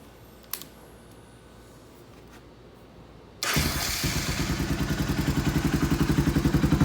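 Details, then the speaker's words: Honda Foreman 350 4x4 ATV with rust-holed, rattling muffler being repaired: engine fires into a harsh blatting thump at each firing pulse, too loud; another quiet core is to be welded in. "a little on the loud side last ditch we're gonna add another quiet core"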